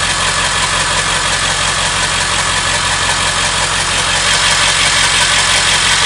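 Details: Ford 7.3 Powerstroke diesel at steady idle with a fast, fairly even tick of about three per second over the clatter; engine ticking, source not pinned down.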